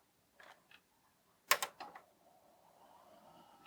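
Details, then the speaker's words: Dell Latitude D610 laptop after replacing a dead 2.5-inch PATA hard drive that had scratched: a few clicks and a thump, then a faint thin whir climbs and settles steady; new drive spins up and boots normally. "I can hear the hard disk drive spinning, and it's booting up from our new drive."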